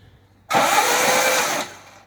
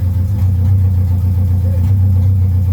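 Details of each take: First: Vauxhall Firenza HPF Lotus conversion before first start, spark plugs out and ignition disconnected, cranking to build oil pressure and push oil through, CRC spraying from plug holes: about a second of fast airy cranking, no firing; engine cranking with plugs out. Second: Vauxhall Firenza HPF with Lotus engine conversion, very first start-up: low loud lumpy uneven idle wavering before dying away, runs unaided but rough; owner says it needs timing worked and isn't quite right; rough idle.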